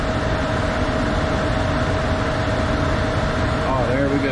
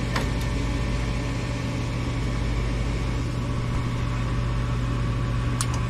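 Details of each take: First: Furnace with newly replaced blower motor: kicks on fast with a steady even hum, constant tone, no scraping or rattle; normal blower operation. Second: Furnace blower motor runs with a steady low hum and a slightly rough undertone. Its capacitor dates from 2018 and is suspected worn out; the motor is failing and is being replaced.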